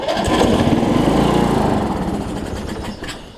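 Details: Weed Eater riding mower with a 16.5 hp Briggs single-cylinder engine and a 6-speed, tried on starting fluid with a new battery. It catches, runs rough for about a second, then fades and dies, so it isn't getting fuel.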